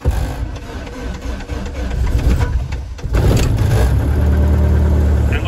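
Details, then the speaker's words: Zenair Alarus aircraft, Lycoming O-235 116 hp, cold start after four primer pumps and barely cracked throttle, previously failed to start: uneven cranking pulses about three seconds, catches with slight throttle pump, holds steady low drone; good cold start. "that I got it just with a slight pump of the throttle it started to catch you pump the throttle and that just about do"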